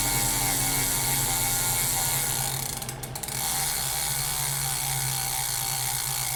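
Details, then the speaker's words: Elite Direto smart trainer, production unit after eight weeks and hundreds of kilometres, tested on Zwift workout with rapid resistance changes: low steady hum with light mechanical ratcheting from resistance motor; normal, inaudible once training is in full swing. "as you can hear there once things are in full swing in your training session you can't really hear what's going on anyway so a bit of a non-issue"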